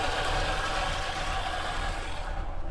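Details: Dodge Monaco with a Thermo-Quad carburetor, just started and not warmed: very low, lumpy, stumbling idle that sounds ready to stall. Owner suspects a kickdown misadjustment and plans to adjust the mixture and kickdown screws.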